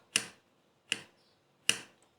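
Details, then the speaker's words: Hand-moved loose part inside a GEMSY sewing machine, already oiled at all moving points, gives three sharp bright clicks about every 0.8 s; play causes annoying internal noise, and the repair starts by loosening its two screws. "إذا تأكدتوا أنه عملتوا الزيت في كل الأماكن اللي تتحرك في ماكينة الخياطة، هنا تأكدوا من هذا العامل. إذا كان لما تحاولي تحركيه يعمل هذا الصوت، يتحرك هكذا"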